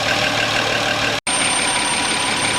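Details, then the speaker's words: 2007 Audi Q7 3.6 petrol, automatic AWD, 117,000 km, warm at 63–65 °C after a high-pressure fuel pump replacement and power loss with ECU errors: thin steady high whistle over even idle that fades as rpm rises; cause unconfirmed. "при температуре 63 градуса легкий свист появился при 64 сильнее при 65 уже вот этот Явный слышно"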